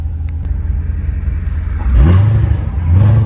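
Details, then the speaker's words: C7 Corvette with 7-speed manual, warmed up, driving after belt and tensioner replacement for whining: deep rumble swelling smoothly as revs climb, no whine; noise fixed. "So, I feel like right there I would've already heard the noise. Let's go ahead. Yeah, it's gone. 100% it's gone."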